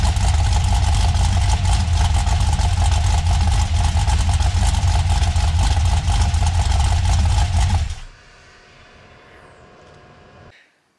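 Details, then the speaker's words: LS 6.0 V8 on a stripped-down factory truck harness, first start: a fast, steady, loud clatter from the passenger-side bank over the idle until shutdown, with the dipstick vibrating hard; the crank was slapping the bent dipstick caught under the windage tray. "I don't know if you could hear it in the videos, but there was some kind of hellacious noise on the passenger side bank, and it sounded bad."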